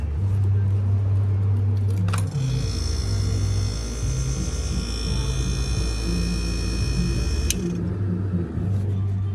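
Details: Small GE refrigerator with a failing start relay: sharp click, about five seconds of strained low hum as the compressor fails to start, then another click.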